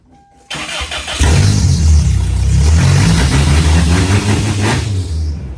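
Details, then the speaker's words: 2.4L Toyota truck after the fix, the loose catalytic converter material that blocked exhaust under acceleration having been dealt with: starter whirr, clean catch, then a smooth, even low hum settling to a steady idle. Normal start and idle. "So under acceleration it was blocking the exhaust and under braking it would work. Uh so anyway truck's fixed."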